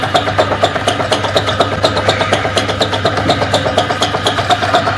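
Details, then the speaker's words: Donkey pump crank set, before repair: steady clacking knock about twice a second in time with each pump stroke over the motor hum; crank set not cut, the noise came from heavy sand and dirt inside. "इसका crank set जो है वो कटा हुआ नहीं था, सिर्फ इसके अंदर रेती और मिट्टी वगैरह बहुत ज़्यादा होने की वजह से ये क्रैंक सेट आवाज़ कर रही थी।"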